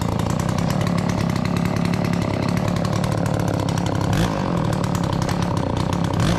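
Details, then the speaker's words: Garage-sale Dolmar 112 two-stroke chainsaw, brought back with only fresh fuel: fires up after pulling, then holds a steady, even idle with a clean crackling exhaust and no misses or surging. Runs healthy. "Once the fuel got into the carb from some pulling, she fired up. It idles. It runs good. It sounds healthy."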